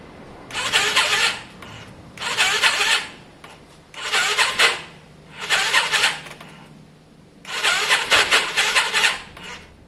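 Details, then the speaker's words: Yamaha Virago after carb work, fuel primed, choke on: slow, labored cranking in uneven bursts about every two seconds, a rough raspy whirr. It sounds like a weak battery, but the owner suspects the starter clutch. "I mean it's it's crazy it sounds like a weak battery it's probably definitely that starter clutch"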